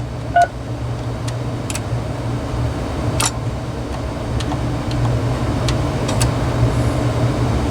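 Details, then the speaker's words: RadioShack 2554-style corded wall phone (category 43-842) on speakerphone, in tone mode: over a low room hum, a short run of dial tones and small clicks goes out in order. Redial works correctly despite the keypad sensitivity issue on keys 3, 6 and 1. "Redial seems to work. Let's go over to pulse."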